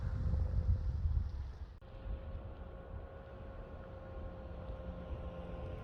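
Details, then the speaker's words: Ford Mustang Mach-E pedestrian alert, starting when shifted from P to D: faint steady synthetic hum with clear tones, partly under wind; spaceship-like alert working normally. "So this is how the pedestrian sound sounds like. I call it the spaceship sound."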